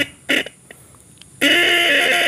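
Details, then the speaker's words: Original horn from an old Yamaha RX King, bench-tested on a battery: brief blip then a steady buzzing note about a second long that sounds thin and strained; weak because the battery is low, and only one side works. "nah bunyinya seperti itu karena akinya udah tekor"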